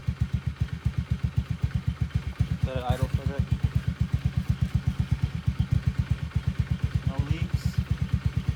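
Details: 2011 Honda Scoopy scooter idling just after an oil change, no leaks so far: even putt-putt at about six pulses a second, steady and without misses or rattles, healthy idle.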